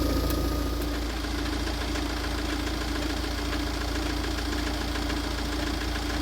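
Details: Tata Safari Storme diesel at steady idle with a fast, uneven knock about four times a second, caused by a faulty crankshaft damper pulley.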